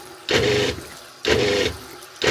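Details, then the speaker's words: RV water pump buzzes on and off about once a second, surging when the tap draws less than full flow, before an intelligent pump controller is installed. "Surging water. Not as bad if you're full speed, but that surging noise."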